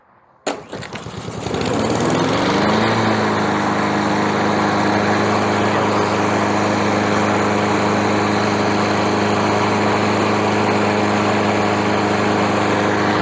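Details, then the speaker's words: Free mower after carburetor replacement and freeing and cleaning a stuck valve: starts on the first pull, rises quickly to speed and holds a steady, even beat with no misses or surging. Normal running after the repair. "एक बार जब हमने valve को मुक्त कर दिया, और इसे थोड़ा साफ कर दिया बिट यह एक आकर्षण की तरह काम करता है, पहले पुल पर शुरू होता है"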